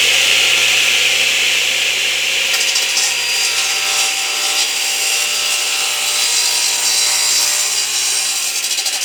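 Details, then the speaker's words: Delta 12 in 33-892 radial arm saw crosscutting a board supported at the fence and at the far end, fed slowly for a fine finish. A steady, smooth, high-pitched rasp from start to finish; an easy, normal crosscut with no chip-out. "Okay, that was a really easy cut. As a matter of fact, I moved the saw through much slower than I actually had to because what I was trying to do is to to achieve a very nice cut."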